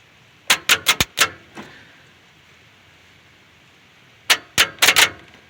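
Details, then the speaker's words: 1978 Chevy Silverado 350 with spark plugs removed, cranked via a cheater wire from the starter on a run-down battery during distributor installation: sharp dry clicks in two short bursts with no cranking. "they don't have the batteries ran down on its juice but you can hear the starter clicking anyway"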